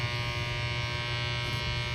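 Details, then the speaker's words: 1980s MXR M-108 10-band graphic equalizer played into a Princeton Reverb: a steady low buzz around 120 Hz with a harsh, fizzy edge that never varies. Strong hum, described as gnarly and buzzy; cause suspected, not confirmed. "it's gnarly it's Buzzy"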